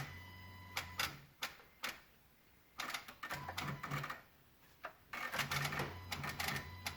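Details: 2016 Honda Odyssey with the engine off: irregular bursts of sharp relay-like clicks with a low hum between them, coming from near the PCM and VSA control module, while the Engine, VSA, LDW and FCW warning lights are on; cause unknown.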